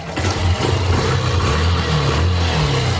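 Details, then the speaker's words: Honda CB125 single-cylinder motorcycle after fitting a new standard piston kit, previously smoky and noisy: fires steadily and picks up cleanly on blips, no knock, rattle or smoke; engine running healthy. "Alrght, kita niyo wala ng usok mga bro."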